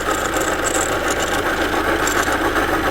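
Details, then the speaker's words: Engine idling with accessory belt load removed: smooth even idle, rattle and chirp gone; squeak returns when belt reconnected, so the noise is from the belt and pulleys, not the engine itself. "어때 요 ? 소음 이 없겠죠 ? 지금 은 엔진 만 작동 중 입니다 ."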